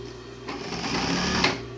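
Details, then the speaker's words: Juki DLN-415 industrial lockstitch sewing machine driven by its original clutch motor, before servo motor install: motor hum rises to a fast, even whirring buzz as the clutch bites and the machine sews, then settles back; normal sewing. "So just to show you how fast it can be, okay, the clutch and starts the machine sewing."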